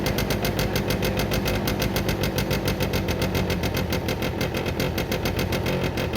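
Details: Derbi 100cc two-stroke after carb clean, airbox refitted, premix fuel, choke left on: uneven, lumpy popping roughly three beats a second with stumbles; rough running, spark plug found very wet and dark (fouled), later cleaned.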